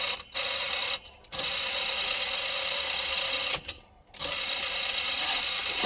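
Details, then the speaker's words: Sound Belle reel-to-reel tape recorder, transport running: continuous hissy scraping with a faint steady high whine that stops at stops, something rubbing inside; suspected cause is a rubber part that has gone completely hard. "well i think i figured out what the noise is i think this is supposed to be rubber and it's gone totally hard completely solid hard"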